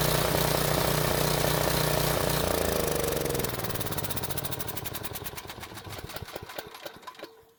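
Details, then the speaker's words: Briggs and Stratton generator running on fuel put into the line, powering a work light; chug loses power, firing pulses space out and fade to silence as the bowl empties despite closing the choke; engine dying from fuel starvation. "now while the engine was dying i was hoping to move the choke lever closed so it would use every little bit of gas that was in the bowl but it still died anyway"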